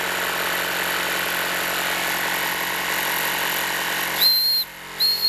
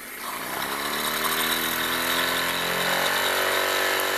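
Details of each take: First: Wilesco D-18 tabletop steam engine running at pressure: steady hiss, then two short shrill whistle blasts as the whistle lets off low pressure. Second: Wilesco D-18 tabletop steam engine, throttle opened once whistle signals readiness: rapid light chuffing with thin rising whirr; running, but boiler pressure still too low to light the lamp.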